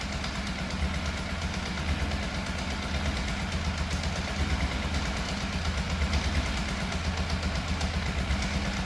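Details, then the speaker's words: Yamaha FZ750 four-cylinder, fire-damaged, 41,000 miles, started with boost pack: raised, slightly uneven idle that won't drop; throttle push and pull cables fitted the wrong way round, idle adjusted. "It still doesn't quite sound right, so I've adjusted the idle a little bit, and also I had the throttle cables on the wrong way around."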